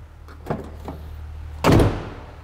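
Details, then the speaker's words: 2005 Honda Element driver's door latch after its loose screws were tightened with blue medium-strength threadlocker and the latch blown out with compressed air: a single deep, solid thunk as the door shuts, no rattle; it hardly moves and sounds solid. "now let's see how it closes oh that sounds solid hardly moves at all"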